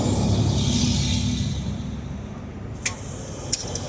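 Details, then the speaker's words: 2014 Jeep Grand Cherokee with a new starter will not start: traffic rumble fades, then two sharp single clicks about a second apart with no cranking. Power is reaching the starter and it tries to engage, but the engine is seized. "It sounds like the starter's trying to kick, but it's not kicking in."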